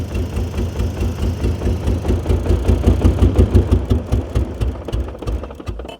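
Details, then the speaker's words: 1989 BMW 535i E34, M30B35 six, last registered in 2012, old low-octane fuel suspected: low lumpy idle with uneven pulses and dips, hunting and barely holding revs; stumbling rough idle, fuel suspected. "I mean it's running but it's just low RPM like it's just struggling how bizarre but we did get it running"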